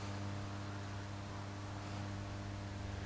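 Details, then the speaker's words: Late 1965 Marshall JTM45 Super 100 tube amp, unused for years, brought up to 200 volts: constant low buzz with steady tones around 100 and 200 Hz through the speaker, rising with voltage; ground loop hum. "now I'm up to 200 volts on the input and there's a very noticeable hum on the speaker"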